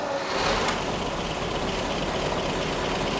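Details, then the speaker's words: 1917 Cadillac started cold on 30-weight non-detergent oil, oil pressure about 15 PSI, fuel pressure pumped to about 1.6 PSI, new battery: even, steady running with no knocks or misses right after the cold start; normal cold idle. "This thing typically right now it's cold, it's running around 15 PSI."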